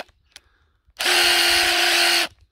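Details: Hilti SID 4-A22 cordless impact driver losing power and noisy, before repair: short rough burst with a strained, uneven motor pitch lacking punch; drywall dust fouling the switch and motor, to be fixed by teardown and contact cleaner.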